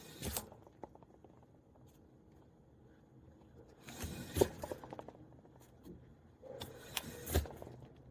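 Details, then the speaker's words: Suzuki Samurai tire being tipped by hand, camera set close: bursts of rattling, scraping roll every few seconds as something loose tumbles around inside the tire. "check this out guys there is something inside this tire which is pretty cool I'll set you close so you can hopefully hear it hear it roll around"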